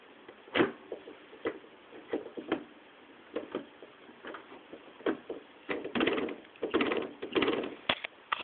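Irregular soft thuds and knocks as the lever moves through the gates, no sharp click between shifts; the shifter is working quietly.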